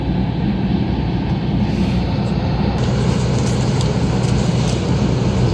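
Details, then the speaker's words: 2003 Dodge Caravan, key on, blower dead on first, second and third speeds and working only at maximum: steady low fan roar at full speed, most likely a failed blower motor resistor. "well it's already promising this an experience most likely that's a resistor failure"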